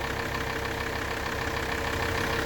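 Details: Alfa Romeo 159 2.4, listened to at the right side of the car where the noise is louder: a faint, regular ticking over a steady idle hum with a thin whine; cause undetermined. Engine knocking noise.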